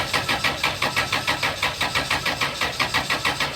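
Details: 1998 Chrysler Town & Country: steady starter cranking at about four even beats a second that never catches. The 20A Engine/ASD fuse blows instantly when the engine tries to start, caused by a shorted, melted wire in the ASD circuit.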